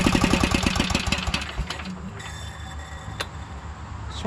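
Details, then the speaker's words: 2012 Toro Timecutter SS 5000 zero-turn mower (model 74630), twin-cylinder engine: uneven, lumpy firing about four beats a second that fades out. Swapped coils show it is not a spark problem; one side is dead. Running on one cylinder. "coils same result so that does tell us that both these coils are good um so we don't need to go and Source a new coil so it's not a spark problem uh it is a side of the engine problem"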